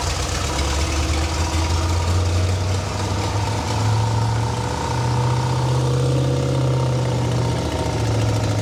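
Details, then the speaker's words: 1968 Buick Skylark GS California with swapped-in Buick 455 V8, long-sitting, running off a hand-filled fuel bowl: deep, even burble with speed rising and easing gently, no ticking, knocking or smoke; responsive, decent running motor. "But, no weird [snorts] noises, no ticking. Seems to be pretty responsive. Think we got a decent running motor."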